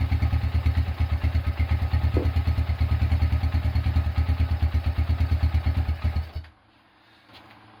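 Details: Honda Tiger single-cylinder engine after restoration, first start, broken exhaust bolt repaired and starter cable replaced: even low thumping idle about three beats a second, steady, then engine shuts off; runs smoothly.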